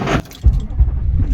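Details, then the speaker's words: 2007 Chevrolet Silverado 2500HD 6.6L LBZ Duramax started cold in snow without the block heater after sitting for days; the long crank is followed by a brief rattle and a deep, uneven grumbling idle, typical of a cold diesel. "but it's grumbling you know unlike the newer diesels you can't even hear them when they idle"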